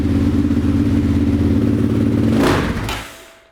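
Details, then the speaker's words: 2005 Yamaha Raptor 660, neglected, started on choke: lumpy single-cylinder idle, throttle stab makes it stumble and die within a second; engine stalls when throttle opened, as seller reported. "Wow. So yeah, this thing just dies right away. Let's see if we can get it to rev at all."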